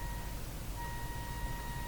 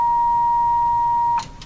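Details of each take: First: General Electric KL60 tube radio with no output, test signal injected: faint thin tone with clicks at very low volume instead of expected loud output. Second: General Electric KL60 tube radio, signal generator injected at the output tube: clean, steady mid-pitched tone plays loudly then cuts off; output stage and speaker work, so the no-output fault lies between the preamp and output tube.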